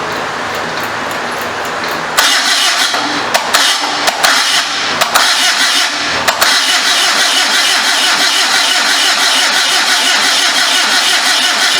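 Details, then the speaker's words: Homemade motorcycle trike with 1974 Datsun engine, first start attempt: starter cranks steadily about thirteen seconds, popping through exhaust but never catching; suspected burning off transmission fluid, iffy carburetor; starter getting hot. "I hear it popping through the pipe but it's just not hitting it's probably trying to burn past all that transmission fluid in there"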